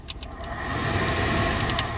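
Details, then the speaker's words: Truck HVAC blower motor: steady, strained fan whine with several fixed pitches; failing, set for replacement. "first of all we're getting a blow motor worried you hear that"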